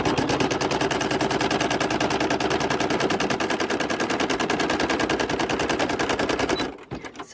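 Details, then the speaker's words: Machine running with a rapid, steady, harsh hammering clatter before it stops; it now runs and no longer squeaks or stop-starts but still doesn't sound right, cause unclear. "if you hear your car making a noise that you've never heard before it normally don't make that noise that's what it's kind of like oh my it's not like I don't know it just sounds different"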